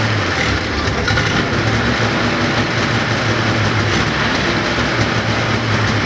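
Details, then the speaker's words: 1980 Ski-Doo Everest 500 fan-cooled two-stroke snowmobile, bottle-fed; even fast drone with a firm low beat, no misses or knocks. Sounds healthy; owner suspects the earlier compression reading was wrong. "i think sounds pretty good actually i mean it sounds healthy"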